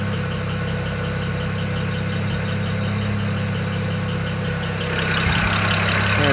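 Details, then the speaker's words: BMW 335i idling while warming up after restart: sharp fast ticking about four per second, getting quieter as the engine warms, from an excessively loud number 6 fuel injector, lifter-like tick. "can you hear that ticking it's getting less quiet or less loud now because the engine's warming up"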